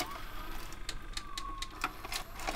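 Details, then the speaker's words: Sony DAV-D150G DVD/VHS combi, first power-up after sitting dirty, eject test: quiet mechanism clicks and clacks over a faint steady hum as the head drum spins up; tape ejects and the drum runs normally. "eject the tape. That worked, the drum's spinning up okay."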